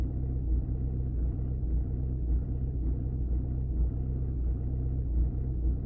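Low diesel rumble at idle with an uneven beat and periodic dips every second or so; rough idle, cause not pinned down.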